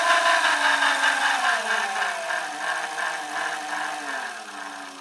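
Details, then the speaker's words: A 1970 Sunbeam geared lawnmower motor (claimed 3HP) on a PWM brushed DC controller from a 49V battery, turned down to its lowest speed: a buzzing whine steps down in pitch, staying smooth and even, running normally on DC. "it's about as low as we can go so this motor does work on ac and dc"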